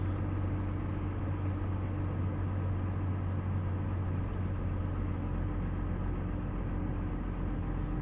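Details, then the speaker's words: 2002 GMC Envoy 4.2 L Vortec inline-six after ignition coil replacement (cylinder had been flooded with oil), check engine light reset: steady, even low rumble with no stumbles, no misfire counts; normal idle. "This thing is running smooth like butter. But let me go back to the misfire data so you guys can see that it's not misfiring."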